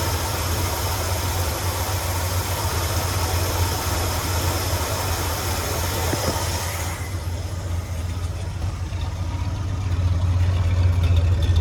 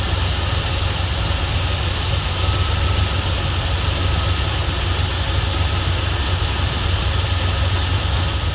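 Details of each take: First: 1977 Ford F-250 Highboy carbureted V8 after the carburetor idle screws were tuned: even, low rumbling idle at a steady beat with no stumble, hunting or miss, a happy middle speed; normal idle. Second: 1977 Ford F250 Custom Highboy, carbureted engine revived after 10 years sitting, carburetor leaking around front seal, later resealed and retuned: steady fast idle, even low rumble, no misses; idle too high, cause not pinned down.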